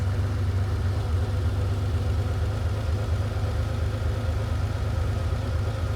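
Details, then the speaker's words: Ferrari 512BBi flat-12, idle mixture being set at one carburetor's adjustment screw: low idle with slight uneven hunting, engine not settled; rough idle from lean mixture, smooths out once corrected. "This is too lean at the moment because the engine's hunting. It's not happy."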